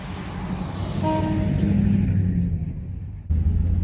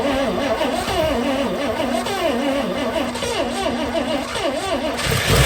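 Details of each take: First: 1961 DeSoto revived after decades sitting, driving on about 3/4 gallon of fuel: deep steady rumble climbing as the car pulls away, no knocks or misses; normal running, sounds decent. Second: 1961 DeSoto revived after sitting for decades: uneven stumbling run with ticking, then loud irregular pops; backfires horribly, owner thinks the points need adjusting again (retarded ignition timing).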